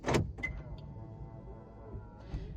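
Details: Suzuki XL6 2022 after programming auto-fold mirrors via lock/unlock sequence: sharp central-lock click, then an even electric motor whir for about two seconds that stops cleanly; mirrors folding normally.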